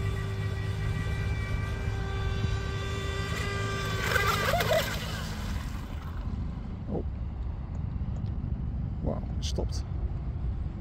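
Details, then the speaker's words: DIY RC Mini Mono boat on 3S with 436 three-blade TFL prop: motor stopped mid-pond, then a steady mid-pitched ESC beep holds a few seconds over water and wind; owner suspects setup overheated or power cut; motor later found not very hot. "the boat just stopped working in the middle of the pond and uh after a few seconds it worked again but you can hear the beeping tone I think it should suggest that either the setup got too hot or it got a power cut"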